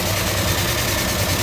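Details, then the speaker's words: 1967 Dodge Charger 383 V8, four-barrel, Hedman headers, automatic, hood open: steady idle with light, fast even ticking from roller rockers, which sound a little different; normal valvetrain noise, nothing wrong. "Then you hear the roller rockers. Sound a little different."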